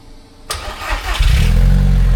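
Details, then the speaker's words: Freshly built MR2 engine (old 1996 crank, new block, turbo build) on its first start: a quick crank catches at once and climbs to a strong, even rev with a smooth low rumble. Normal start and rev. "There you go. They're running. They do always sound good."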